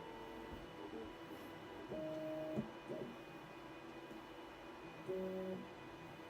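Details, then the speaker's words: Voron V2.4 R2 3D printer, LDO stepper motors, homing after tuning second homing speed: quiet hum with short bursts of stepped motor tones, then a harsh noise at the end of homing; cause suspected, not confirmed. "see again that was horrible did you hear it they're fine they're fine okay okay horrible it just ends with us [Music] stop making that noise"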